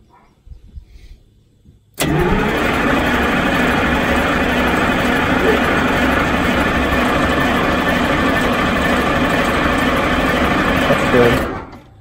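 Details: Cold Detroit Diesel 6-71, described as cold-blooded: a steady cranking rhythm of about three turns per second runs nearly ten seconds without catching; hard starting, long cranking.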